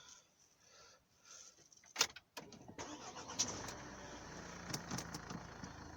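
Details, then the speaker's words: Renault Laguna 3 coupé 2.0 dCi diesel after engine mount replacement: a few clicks, then it cranks, fires and settles into a quiet, steady idle with no rattle or drumming. Dashboard vibration gone; normal idle. "mais voilà je n'ai plus de j'ai plus de vibrations au niveau du tableau de bord voilà donc tout est légal pour moi"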